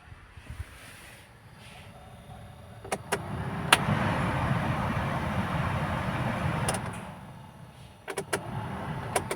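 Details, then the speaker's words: Maruti Suzuki Swift after cleaning out rat damage and nests, ignition on and blower switched on: steady, even rush of air with no knocking or rattling; only normal fan sound, blower healthy. "ഒരു ഫാനിന്റെ sound മാത്രമേ അവിടുന്ന് കേൾക്കുന്നുള്ളൂ"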